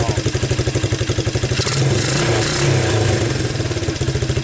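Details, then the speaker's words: 1985 Suzuki Quadrunner LT230E ATV after swapping the seized Mikuni for a Keihin PZ27 clone carburetor on a custom flange manifold: crisp single-cylinder thumping rises smoothly with throttle and drops back without stumbling; it starts easily and runs well. "um this one seems to kick right on over it seems to carve right along look at that i even have a tail light gotta love it yeah it sounds good you can hold the gas"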